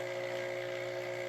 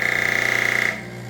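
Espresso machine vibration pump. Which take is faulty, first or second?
second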